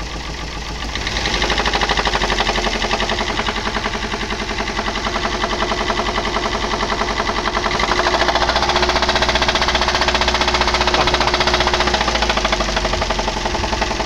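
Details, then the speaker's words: Daihatsu Gran Max petrol engine revved lightly from idle: rough, rapid knocking rattle, misfiring and lacking power, sound like something about to break; noise gone after repair. "pincang pincang juga terdengar suara kasar ya seperti ini"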